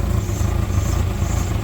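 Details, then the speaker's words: 1994 Ford Ranger 2.3L 4-cylinder after replacing a hose and the starter for a rough idle: low steady idle with slightly uneven lumpy beat and some stumbles; still a little rough but far better, owner suspects exhaust leak. "I don't know it still sounds still sounds a little rough but it's completely night and day difference from how it was"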